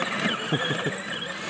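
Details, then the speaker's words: Battery-powered Polaris ride-on: one tire spins with a sandbag added for weight, and the other tire isn't driving. Short high chirps over a faint motor hum, like a tire slipping: wheel spin squeal. "I got one tire spit in that's why I put the sandbag in the back cuz it was just spit in so much weight"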